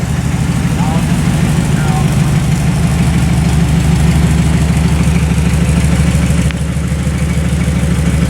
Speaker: like I say today we're just dialing it in I'm just running the camera I'll let the professionals Tinker with it sounds pretty good though